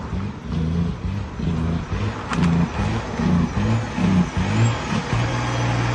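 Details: Detroit 12.7 diesel misfiring at idle: heavy, uneven, lumpy beat with roughly one stumble a second and pulses dropping out irregularly, missing on a cylinder.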